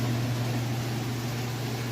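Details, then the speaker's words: Kenmore washer on a heavy jeans and towel load at final spin: steady low hum and airy whir at full speed, even and smooth with no thumping or grinding. A normal, healthy spin cycle. "up to full blast right now it's nice and smooth [Music] spinning nice and fast [Music]"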